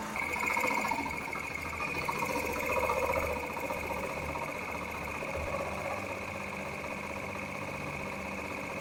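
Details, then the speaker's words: Yamaha XTZ 125 after air filter and carburetor cleaning for dying at idle and inconsistent throttle, throttle cables refitted, idle screw adjusted higher; steady, even putter with no stumbles: single-cylinder idles cleanly. "And now is the moment of truth. Okay, we adjust the idling screw higher up."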